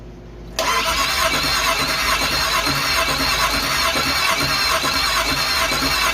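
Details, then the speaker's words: 5.3 LS V8 from a Suburban swapped into a rock crawler, first cranking dry to prime oil with coil packs and fuel pump disconnected: harsh high-pitched screech over rapid cranking; starter squeal, suspected to need a starter spacer. "Probably needs a spacer in the starter. Sounds like"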